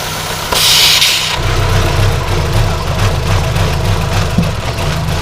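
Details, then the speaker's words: 2010 Chevy Aveo 1.6 Ecotec petrol idling unevenly with a sharp airy hiss: PCV vacuum leak from the PCV system integrated in the valve cover, causing misfires; fixed by replacing the valve cover. "you see right here's where that pcb system is it's the ecotech as i change that now watch this see how bad it's leaking"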